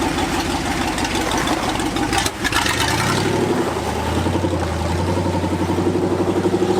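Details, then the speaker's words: 1964 Ford F-100, revived after nine years, on a road test: the exhaust note stumbles and breaks up under throttle, especially in second gear. It sputters, and the accelerator pump linkage is suspected to need adjusting (unconfirmed). "runner she kind of sputters in second the sick roads are kind of worn in second too we need to uh adjust that accelerator pump linkage"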